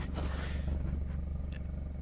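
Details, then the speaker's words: 2014 Hyundai Santa Fe started during a pre-purchase inspection: low, even burble with a steady pulse, no puffing or ticking from the exhaust. Healthy, normal idle. "everything here sounds good"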